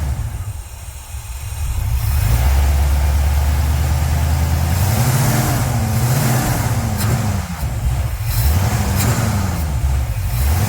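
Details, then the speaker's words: Pontiac 350 V8 in a Le Mans with a long-sitting, dirty 650 carburetor whose clogged vent tube was cleaned: revs pick up from idle then wander and sag, running out of gas past a point; fuel starvation on revving. "so this carburetor has been setting a while and obviously it's gotten dirty as we could tell by the vent tube clogging up but this one it would rev so far and then once you reved it so far it was like it just completely ran out of gas"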